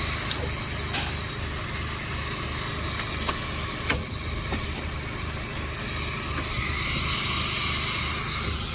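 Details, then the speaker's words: 1987 Freightliner cabover with Big Cam Cummins diesel, Eaton transmission, Rockwell axles, idling: constant hiss over the idle with occasional sharp puffs; air brake system leak near the front, louder at one spot. "Definitely got an air leak up here somewhere. Sounds like it's right here. It's like worse."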